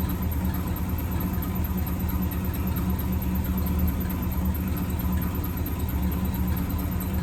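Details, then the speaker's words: 1963 AMC Rambler wagon 287 V8, close to the valve cover at rough idle: steady low squealing drone, unchanging; left-bank rocker shaft dry after bolts were mixed up during valve stem seals, metal flakes, metal on metal. "We're going to take this valve cover off the passenger side of the little Rambler and see if we can fix this squeaking issue."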